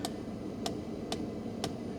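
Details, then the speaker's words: 1997 Mercedes S500 coupe side power mirror adjusting on its own: sharp, isolated clicks about every half second over a quiet background as the actuator keeps clicking; it won't stop, cause unknown. "See, this guy is trying to adjust the mirror for me. I mean, the car is trying. It's just like haunted."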